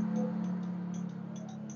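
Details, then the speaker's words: Yamaha Jupiter Z, ignition on, starter button pressed: rapid light ticking, about five clicks a second, from the starter relay under the seat with no cranking. Mechanic suspects the starter motor, still checking whether positive current reaches it. "kontak on dan hidup kita pencet tombol starter dia hanya bunyi tetap cetak cetak cetek"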